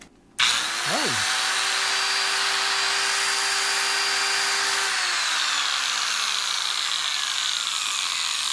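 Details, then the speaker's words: Electric angle grinder that quit after 30 seconds sharpening mower blades, run with the cover off after brush replacement: steady high whine with a rough, gritty edge and visible sparks; works but noisy. "It works. [Laughter] It makes some noise. Makes a few sparks, too. I guess that's why it has cover on, but I could have swore that was going to be a dirt dober nest in there."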